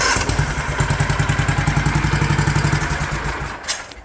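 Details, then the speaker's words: 36-year-old Toro Wheel Horse 416-8 garden tractor, long unused, after safety-switch bypassing and new ignition work: even, deep thumps as it turns over and catches, then eases off; starts normally, exact fix uncertain. "Well, I was finally able to get some life out of it."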